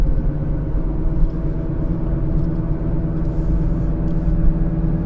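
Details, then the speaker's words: 2015 Kia Sorento 2.4 on test drive: steady low growl and droning hum under road noise, changing when steering is jerked; front left wheel bearing, no play felt at the wheel, slight roughness. "like front left yeah that's a wheel bearing noise you hear it when we jerk the let's wheel"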